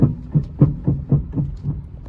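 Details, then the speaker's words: Hyundai HB20 with the steering wheel rocked side to side: dull low knocks about three a second from the steering rack, blamed on potholes. It is to be reconditioned; the worn rack bushing is found at the shop. "tá vendo o barulho que faz isso aqui é o barulho da caixa e direção a gente vai lá recondicionar"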